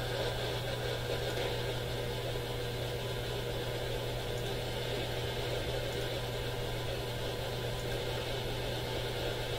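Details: AM radio at top of AM band at home: steady hiss and crackle with constant low hum, only one local station clear and even it has interference; radio interference noise, smart power meter suspected.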